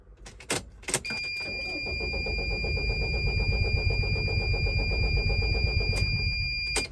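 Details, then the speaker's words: 2003 Dodge Sprinter diesel that needs starting fluid, with water found in the fuel system: starter churns about four even pulses a second for five seconds without catching. Long crank, hard start; owner suspects injectors leaking off too much fuel. "and that's how it's starting and that is not good I actually needed to use um starting fluid in order to start it"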